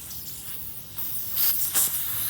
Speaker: if you can hear that you're gonna hear hissing coming out of it you can open it up almost all the way without coming out and you're just gonna leave it there and it's gonna keep doing this little hissing thing